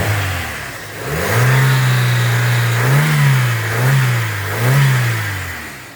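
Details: 2002 Hyundai XD (Elantra) petrol engine after a cylinder 1 misfire was fixed by replacing the spark plugs and plug wires in the correct order: it revs up and holds, then three quick blips, clean with no stumbling.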